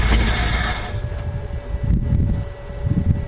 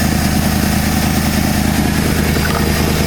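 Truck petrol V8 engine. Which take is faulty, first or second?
first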